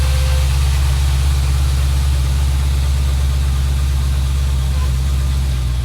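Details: Chevrolet SS with supercharged LSA V8, just after an oil change with about 8 quarts: deep, steady idle with an even low rumble and no ticks or knocks; engine healthy and settled.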